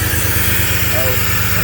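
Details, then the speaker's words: 2001 GMC Sonoma 4.3 Vortec V6 that quit while driving, with a jumped timing chain suspected: first start after re-timing at top dead center and refitting the cap and plug wires; it fires and settles into a steady, even, smooth idle. "okay that's good sign now i can go ahead and continue putting everything back together"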